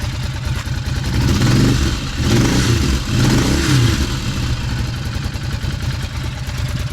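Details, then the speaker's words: Cagiva 750 Elefant with Ducati V-twin, after reconnecting lines, having run on one cylinder; throttle blips rise and fall cleanly, slightly uneven at first from excess fuel, then a reasonably smooth idle on both cylinders again. Normal revving. "Does run on both cylinders again."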